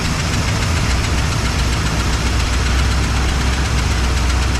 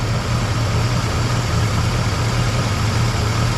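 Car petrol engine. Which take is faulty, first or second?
first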